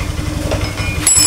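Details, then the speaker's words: Honda Scoopy FI scooter that dies when throttle released, newly installed throttle body, idle air not yet adjusted, air filter element missing: lumpy, breathless idle pulse that never settles; uneven idle. "suaranya ngos-ngos Pak kayak orang kecapaian Pak"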